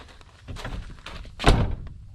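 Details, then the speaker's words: 1st-gen Dodge Cummins crew cab passenger door after adjusting striker so door no longer rests on striker pin: one solid clean thunk, latches first time, no rattle or bounce; normal door closing. "Alright, so let's see if it shuts any better."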